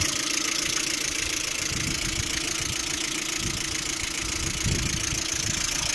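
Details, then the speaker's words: Lada Priora engine at idle, knocking both cold and hot: steady light knock about four per second under a loud hiss from the timing belt side; owner doubts hydraulic lifters and suspects the water pump, as temperature nearly reaches red while driving. "Звук со стороны вот ремня ГРМ, по-моему, выходит."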